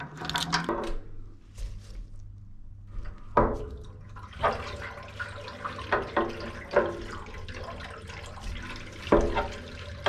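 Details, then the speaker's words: Normal refill of gravity-fed central heating pipework after replacing a thermostatic radiator valve: water gushes and gurgles in uneven splashy surges through the radiators and pipes as valves and lockshields are reopened. "Hear the water rushing out of the radiators and filling the pipe work."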